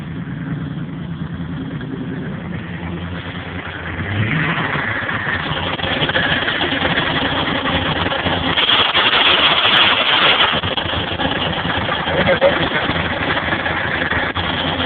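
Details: Maxima with a new used engine and new clutch makes a rough, gritty grinding in neutral with the clutch pedal released, gone with the pedal floored; appears once hot, transmission found with no oil.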